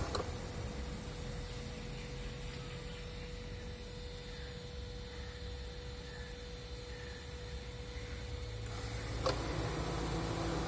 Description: Prius alpha 2015, 91k km ac Compressor noise. Its more noisy when outside temperature is very high.